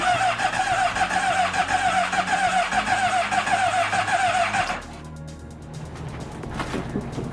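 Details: 2007 Honda CBR600RR after a head gasket replacement for overheating, exhaust off and some connectors unplugged, battery trickle-charged: a fast, rhythmic starter whir with chirps for about five seconds, and the engine never catches. Cranks but won't start.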